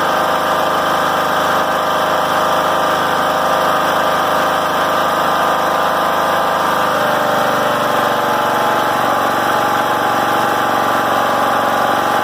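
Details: John Deere L100 rider after fixing high idle: steady, even engine note holding constant speed, no hunting or surging; governor holding revs properly.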